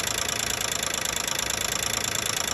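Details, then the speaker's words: 2012 Nissan Maxima 3.5 L at idle: fast even bright metallic ticking rattle over a smooth idle; owner suspects the intake bracket, engine otherwise running strong. "it seem like something like I'm assuming like intake inake uh Sprat"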